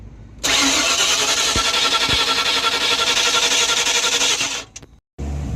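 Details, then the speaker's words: Newly bought project car, fuel-injected, fuel pressure confirmed at the rail: steady, fast cranking for about four seconds with no catch at all; owner suspects the ignition coil isn't firing but isn't sure. "Kind of suspect this coil isn't firing at all anymore, but I'm not 100% sure."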